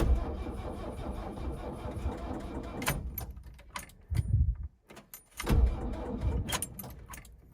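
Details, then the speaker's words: Diesel Mercedes-engined S-10 after a bigger turbo was fitted, battery on a trickle charge: starter turns it over in short bursts with gaps but it never catches; cranks without starting from lost fuel prime. "All right, guys, I've been trying to start this thing forever, like a couple of days now."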